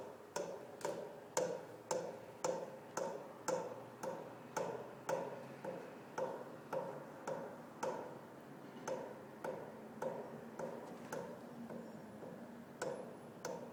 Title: Pipe Banging Noise